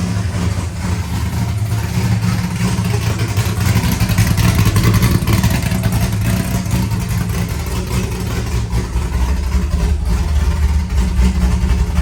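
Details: First start of a rebuilt C5 V8 with a Michigan Motorsports drift cam and ported 243 heads, showing 50 psi oil pressure. Loud, lumpy, uneven loping idle with occasional blips; a bystander says it sounds like a vacuum leak. Normal cammed idle.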